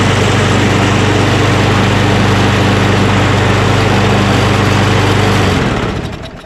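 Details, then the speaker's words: Lawn mower with auto choke, recently fixed with fresh gas and like-new oil: small single-cylinder engine runs steady and even for over five seconds with no misses, then shuts down cleanly; normal running. "beautiful i remember it ran really well"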